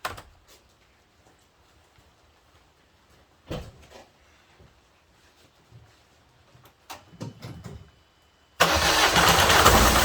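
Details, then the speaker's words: Peugeot Partner 1.6 HDi diesel after replacing worn injector seals: engine cranks, catches and runs steady and even, the earlier loud running noise gone; normal idle. "Donc c'est bon, le bruit est parti."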